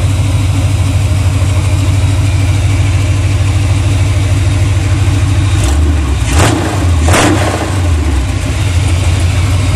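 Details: 1982 Chevy C30 ramp truck, swapped big-block 454 V8 with NV4500 5-speed, first start on freshly painted headers, open pipes with no muffler: deep loud rumble holding a steady lope, two clean throttle blips near the end; runs healthy.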